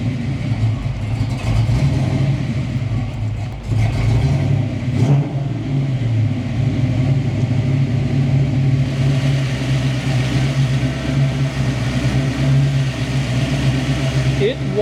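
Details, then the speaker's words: Ford Foxbody Mustang V8, after reconnecting everything and resetting the computer to relearn, holds a steady raised idle stuck around 1,000 rpm and won't settle lower; earlier IAC was disconnected and idle screw adjusted; high idle, cause unconfirmed. "to idle at 1,000 RPM no matter what I do to this system 1,000 RPM is what it wants to idle at nothing below that"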